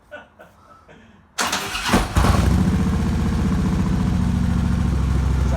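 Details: Harley-Davidson V-twin with Vance and Hines Big Ovals exhaust after welding a broken hanger back on: fires and settles into steady, even, lumpy potato idle; exhaust sounds healthy and sealed after repair.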